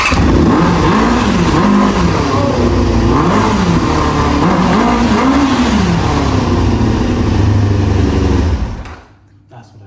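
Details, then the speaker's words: 1995 ZX6R four-cylinder after its carbs and pilot jets were cleaned again: the engine fires cleanly and revs up and down freely several times with no stumble, running healthy. "It's randomly started. No, I just cleaned out the carbs."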